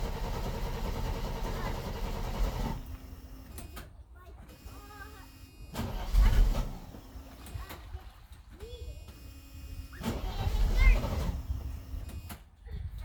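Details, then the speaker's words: Gas Mercedes 300SL (sister to a 300SE), unstarted for about a week, cold: long labored cranking before it finally fires; hard starting, cold start valve not yet replaced. "okay so folks as you saw that took forever to start"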